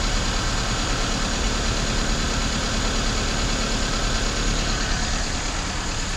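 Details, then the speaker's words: 1996 Toyota Corolla 1.8 (7A-FE) distributor engine with code P0301: uneven, lumpy idle with an occasional light stumble over the exhaust note, a mild cylinder 1 misfire, not heavy. "it's not a heavy misfire okay that's not good"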